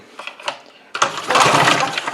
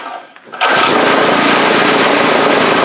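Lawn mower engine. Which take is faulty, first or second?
second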